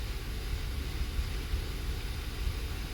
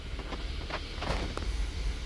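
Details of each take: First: 2015 Kia Sorento 3.3 GDI, warm idle entering closed loop: low rumble stumbling with uneven, dropping pulses; bank 2 misfire (P0300, P0304, P0151) caused by a lazy oxygen sensor. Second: 2015 Kia Sorento 3.3 GDI V6, bank 2 misfire traced to lazy O2 sensor: after repair, warm idle 10–15 minutes, steady low rumble with no stumble; misfire index 0 on both banks, previously cylinder 4 or 6 usually misfired first.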